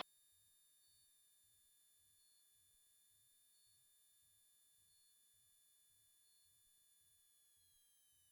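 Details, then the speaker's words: Cirrus SR22T landing at Memphis (M01): faint continuous high-pitched stall warning tone over a low pulsing engine drone during the flare at touchdown, the expected sound of a proper landing. "that's the stall warning which is means you're about to stall which is what you technically want to hear when you're landing"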